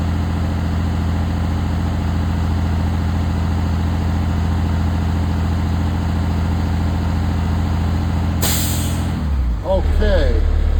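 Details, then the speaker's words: School bus diesel idling during the CDL air brake test as pressure builds toward about 120 psi: even idle, then one sharp hiss of released air as the compressor cuts out and the air dryer purges. Normal. "Pressure's building up. So in the next 10 seconds, we should hear the pressure relief valve."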